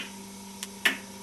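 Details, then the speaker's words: Homemade aluminium-alloy pendulum clock (clock #3) with brass pallet on an aluminium escapement wheel, epoxy-glued: crisp even ticks over a faint steady hum; escapement beating cleanly, clock runs fine. "so that is clock number three as you can see it looks quite nice de angry look at it it's nice and you can hear by the thicking it's quite even"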